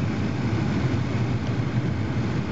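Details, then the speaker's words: 1996 Carrier WeatherMaker 8000 80,000 BTU gas furnace, four burners, paired with a 3-ton Carrier 38CKB condenser, board reading normal operation: smooth, even low rumble with no ticks, rattles or surges; burners running steadily and quietly. "my battery is basically dead it's running very quiet unit random vent I'm out of here over"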